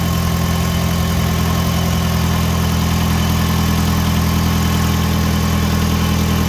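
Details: 2005 Hyundai Tucson GL 2WD after catalytic converter and exhaust manifold replacement, started to listen for leaks: smooth, even low idle with steady drone, no ticking or puffing; normal running, though a small leak is possibly suspected.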